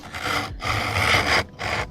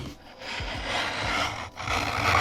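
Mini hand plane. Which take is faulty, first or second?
first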